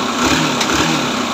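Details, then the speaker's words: Yamaha SS 125 motorcycle after repair, broken nuts replaced and refitted: short, even engine note with a slight rev, no rattle or knocking; the sound is now fine and healthy. "গাড়ির sound ঠিক আছে মাশাআল্লাহ।"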